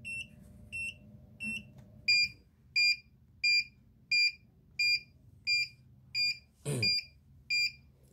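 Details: Arduino ammonia detector for chicken coop (MQ135 sensor, 16x2 LCD, fan) sounds shrill even buzzer beeps about 88 a minute, first muffled then louder; reading fell from 400–500 dangerous to 160, 140 after ammonia-soaked tissue, alarm above threshold.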